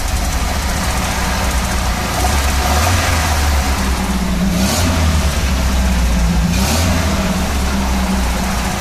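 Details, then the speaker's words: ErAZ van engine after head gasket replacement and exhaust welding, first start with carburettor primed, in neutral: even idle with smooth blips, much quieter than before, no tapping or exhaust blowing; normal running. "Schock er ist viel leiser der Motor merkst du das"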